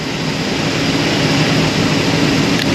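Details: Holden VL six on a cold morning, second day after adding Lifter Free additive for lifter noise: steady, even cold-idle drone with no ticking; lifters now quiet and engine runs cleanly.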